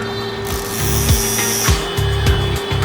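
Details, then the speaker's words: Yuken KDRDE5K proportional solenoid valve (~17.9Ω coil), 12V DC, plain PWM driver with SG-03S 0–10V signal: steady mid-pitch hum under some background clatter, valve vibrating; normal energized valve buzz. "It is humming. It's actually We can see the humming. It's vibrating, right?"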